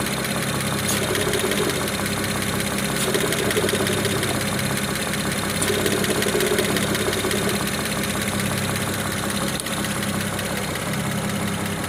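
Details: BMW 335i E92 with N54B30 engine at idle after 8 minutes of warm-up: light, loose tapping of about three knocks a second over the engine hum, pointing to an internal knock; no knock when cold.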